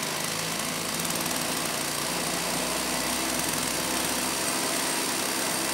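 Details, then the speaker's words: STIHL 028 AV Super chainsaw, rebuilt with non-OEM parts after running straight gas, first start after choking; shrill fast buzz stays high and slightly hunting at idle, lean, low speed screw opened a bit helped; crankcase air leak. "now it was for sure running lean so I did open up the low speed jet a bit and it started to sound a little bit better"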